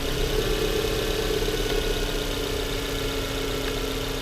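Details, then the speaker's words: Volvo S40 engine idling with an uneven, slightly shaky pulse and a faint steady hiss; rough idle persists after the MAF check, with a loose vacuum hose and a heard intake air leak suspected. "но мне всё равно не нравится как работает мотор не знаю как вам слышно или нет но у него есть какой-то маленький подкол бас Вот и вот потряхивает"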